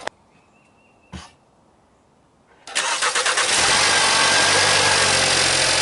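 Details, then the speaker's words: VW Passat at 67K miles, just after replacing the spark plugs and refitting the ignition coils: short crank, catches quickly and settles into a steady, even idle; starts and runs fine, as before. "Runs good, I guess. Ran good before, so I was just hoping for the same result."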